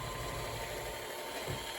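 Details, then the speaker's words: Kenmore Sensor Sew 70 (385.1950280) sewing machine after freeing a lock-up and servicing: even, quiet whirr at steady speed, no knocks or catches; motor running normally. "see what happens so that's cool here it is running great doing quite well"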